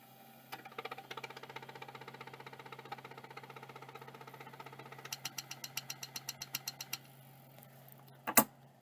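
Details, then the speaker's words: Hard drive, second of two: quick even stepper ticking about eight per second over faint spindle hum, motor moving but heads never seek; rotary band suspected broken, not confirmed. "same exact thing again I think the rotary band is broken I can hear the motor moving but nothing happens"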